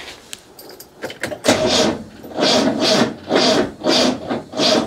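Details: 1972 Rover P6 2000, cranking after starter wire repair, flammable spray tried: starter churns in even pulses about every two-thirds of a second with no firing; cranks but no start, fuel not getting through.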